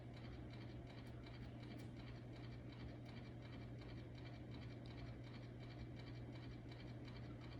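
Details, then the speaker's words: Hugger ceiling fan running on medium: a soft steady hum with a faint, fast, irregular ticking and a light scrape. The owner suspects the bearings, something scraping, or the ground wire; the cause is unclear. "I don't know what that sound is it's either bearings or it's scraping I or maybe it's the ground wire that I couldn't get to do anything I don't know either way that is making noise"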